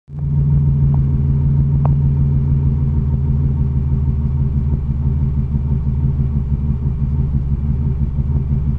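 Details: 1987 Chevrolet Cavalier RS convertible V6 at idle, owner has replaced everything yet it won't smooth out: low, uneven, lumpy idle rumble that never settles; rough idle, cause not found.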